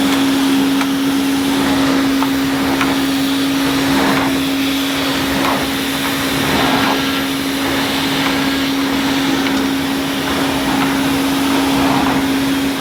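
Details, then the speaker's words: 1980 Hoover Constellation 867A floating vacuum, suppressor removed, being restored: steady motor hum at constant pitch with a smooth airflow rush, no catches or grinding; the motor sounds fine and probably needs no teardown; normal running. "So with this, the motor to me sounds fine. I don't think I even need to take the motor apart."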